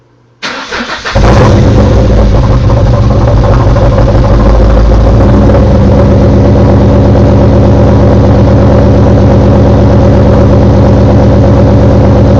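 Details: Car started right after installing CMS stage 2 blower cams; engine settles into idle with a loud, steady knock of roughly three to four beats per second; cause not identified.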